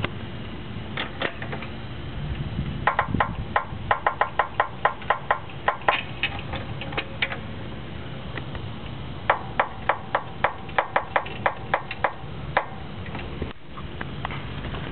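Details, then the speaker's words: 2000 Honda Civic front suspension with KYB GR2 struts, Eibach Sportline springs and Skunk2 camber kit, jacked up slowly: jack clicks with creaking groans from the upper strut area; springs or camber kit bushing suspected, unconfirmed. "as you can tell is definitely coming from something in this area I don't know if that's just the noise my Springs will be making these are Eibach Sportline Springs and gi2 struts or if it's some kind of bushing issue on the camber kit"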